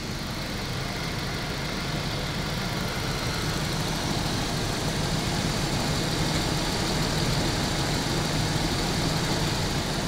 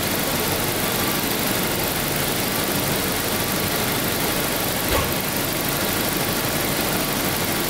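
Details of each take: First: 1992 Daimler Double Six Jaguar V12, customer car: steady engine hum with a faint airy whoosh at certain raised rpm, heard by a small mic near the oil filter housing; source unconfirmed, another car's similar noise went away with original filter and correct oil. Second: 1992 Daimler Double Six V12, warmed to operating temperature, checked for an odd sound at certain rpm: steady, smooth idle with an even hum and no ticks, knocks or odd tones; normal warm idle.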